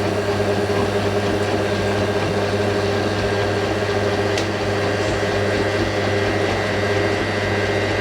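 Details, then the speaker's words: Hotpoint 9530 Electronic 1000 Plus washer, twin bedding load, after repair of burnt mains-lead neutral wire, final spin: steady motor hum with constant high tone, no thumping or banging; drum balanced, smooth. "That is probably the smoothest spin this machine's ever done on YouTube. I like that. It sounds so smooth going up to the house."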